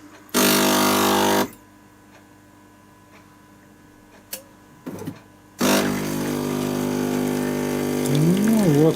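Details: AEG Electrolux coffee machine after repair of a jammed brew unit: short grinder burst, brew-unit clicks, then a steady pump hum, a normal brewing cycle.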